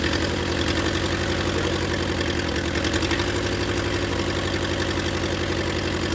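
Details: Willys CJ2A Jeep just revived, running briefly with no coolant flowing, distributor not yet clamped: uneven, wavering idle at about four pulses a second, running a little rough because the idle adjustment is off.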